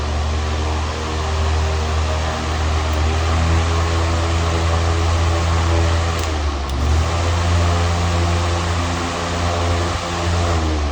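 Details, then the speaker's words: New TPI F-18 TE fan on low after fix: smooth steady hum with even air rush, no buzz or rattle; buzzing on start-up, low and medium stopped after nudging a part, owner unsure of cause; normal running. "on low and medium it was pretty bad let's see you don't hear it at all anymore"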